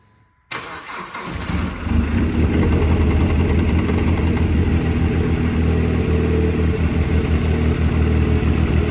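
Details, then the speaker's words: Dodge Caliber SRT4 with good compression and coolant block tests, fresh oil and filter: busy, rhythmic banging clatter rising with revs; internal engine noise, not judged a traditional rod knock. "Well, it runs and drives smooth. Sure is banging a whole lot. Yeah, we got 4 low tires. No seat belt. Still turns over. It's not sounding healthy."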